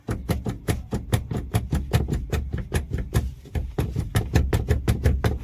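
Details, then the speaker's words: Car brake pedal pivot squeaking on each press, first mistaken for a steering noise: short chirpy squeaks about twice a second, each following a pedal press; dry, squeaking brake pedal. "मतलब कि हो क्या रहा था, जब भी मैं अपनी कार के ब्रेक को लगाता था तो चू चू करके आवाजें आती थी, जैसे कि अब भी आ रही है, जैसे देखना भी"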